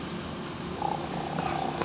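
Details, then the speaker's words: Denpo bottom-load gallon water dispenser pump, removed and bench-tested on a 12 V adaptor with the gallon water connected: low buzzing, vibrating motor runs but sprays no water. Owner suspects the seal or valve. "ini berputar ya terdengar getarannya atau terasa getarannya seperti ini tapi tidak bisa menyembur air ya"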